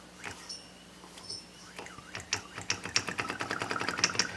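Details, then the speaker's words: 47cc two-stroke pocket bike engine turned slowly by hand during rebuild: light metallic taps only at top dead centre; suspected piston hitting the head because the copper head gasket is too thin for a stock engine. "I think the Piston is hitting the top of the head in here it do it nowhere else except on top dead"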